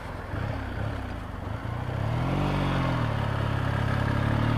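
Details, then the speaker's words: Motorcycle just tuned and keeps stalling: uneven, spluttery beat from closed to quarter throttle that smooths as revs climb; owner suspects carburetor needles set in the wrong position on the slide. "Kept stalling all the time. Still not right now. It's a bit spluttery."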